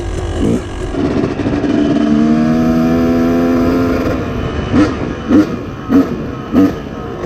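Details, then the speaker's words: 2004 YZ250 two-stroke, cold with choke on, BR8 plug and smaller 45 pilot jet: settles at idle, then four quick clean throttle blips with no bogging and slight pinging; crisp throttle response, maybe still slightly rich. "like it has a little bit better throttle response."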